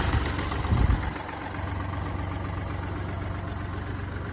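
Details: Mini Cooper D three-cylinder diesel: rough start, then a low uneven idle with a faint rattling judder underneath, pointing to a worn dual mass flywheel, which holds the clutch springs.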